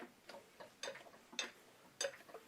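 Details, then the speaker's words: 5-cylinder truck engine turned slowly by hand during teardown, after being driven 15 miles home while making a big noise, the rotation very sticky: sparse irregular clicks and clunks with latency in the con rods. Failed driver-side balance shaft bearings are suspected. "Uh but there's a pretty significant kind of kind of a good chunk good chunk good chunk. There's a a latency in uh in the moving of the con rods."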